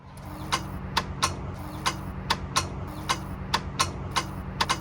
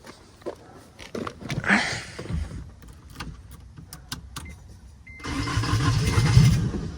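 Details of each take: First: 1990 Acura Integra GS after automatic-to-manual swap, first start attempt: sharp uneven clicks two or three a second over low hum, no cranking; starter clicking. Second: 1990 Acura Integra GS after manual swap, after adding starter-to-frame ground: scattered clicks and handling, then engine catches and settles into steady running rumble; normal crank and start.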